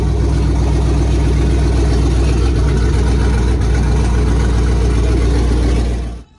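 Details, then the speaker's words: Warm Chevy Tahoe LS 5.3 V8 just after a Chopacabra 220/214 cam swap with new valve springs and LS7 lifters, before tuning; deep, loud idle with an uneven, choppy lope that won't settle into idle, awaiting a tune elsewhere. "you heard it chop a little bit I just can't get into idle now it is warm because uh he's gonna take it somewhere else to get tuned"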